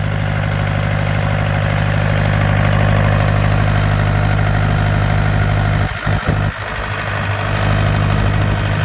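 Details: Yanmar TK486 4-cylinder diesel on a stand, no coolant or radiator: steady, even idle with a smooth low thrum, all four cylinders firing cleanly, no misses or knocks.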